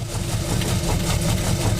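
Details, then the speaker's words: 1947 Cadillac Series 62 with 350 CI flathead V8 idles with a low, steady, even rumble, no misfire or knock, after about four degrees of ignition timing taken out; not yet checked hot; belts squealing slightly, a little loose. "a little bit more but that's amazing i didn't have to take how about that"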